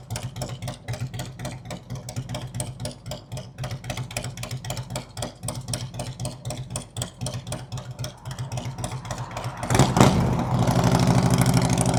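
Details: 2003 Harley-Davidson Road King 100th Anniversary with new headers, fishtail exhaust, Andrews 26A cam and ThunderMax: loping V-twin idle, then a clean rising roar as it pulls away, firing even and strong; engine healthy.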